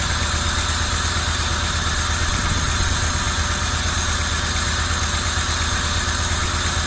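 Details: 1990 Camaro RS after 12–13 years sitting, new fuel pump, plug wires corrected to firing order, timing not yet set: steady even idle with smooth low beat, no knocks or misses; normal idle.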